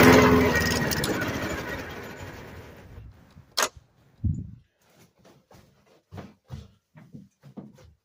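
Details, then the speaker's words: 1990s Murray mower, 5 hp Briggs & Stratton, after carburetor swap, primed: engine catches briefly, then fades and dies within about three seconds, followed by clicks; runs at most about a minute; hoses checked, cause still unknown. "Well, guys, the carburetor works. As you can see, the engine will start. I think the longest I got it to run was about a minute, but yeah, it's not."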